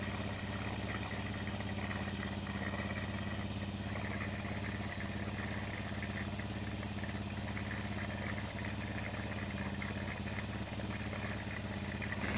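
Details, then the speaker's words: Honda Supra X 100 after replacing valve guides and valves (previously wet, fouling spark plug, oil seal leaks): small single puttering at steady even idle, clean low thump, no ticking or misses; normal idle. "ini suaranya seperti ini setelah saya lakukan penggantian baik itu Bos klep sama klepnya"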